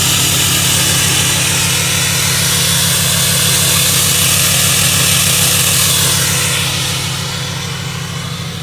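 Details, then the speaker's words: 2015 Ram 2500 6.7 Cummins, G56 six-speed manual, 76,387 miles: fast even rattle about three beats a second over diesel idle, then easing off; owner attributes it to the clutch, especially with pedal pushed in; rattle at idle. "you can hear that rattling from the building this clutch especially when you push the clutch in"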